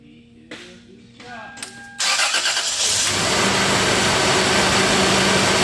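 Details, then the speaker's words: 1997 Toyota 4Runner, 5VZ-FE V6, 270,000 miles, after repairing a cylinder 4 misfire (P0304) including new plug wires: engine catches and settles to an even, steady idle; earlier shaking and hesitation completely gone. "that's shaking of the engine poor Toyota when she came in the morning it's completely gone I love it"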